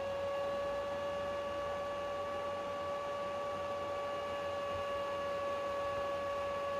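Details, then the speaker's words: PlayStation 3 CECHC overheating, YLOD risk: fan control tool raises fan well above 30% when CPU/GPU exceeds 68 degrees; steady high-pitched fan whine at constant pitch, fan running hard from overheating. "this tool, if it notices that the temperatures are higher than 68 degrees, the fan will kick higher, way higher than just 30%, because this tool wants to get the temperatures lower than 68."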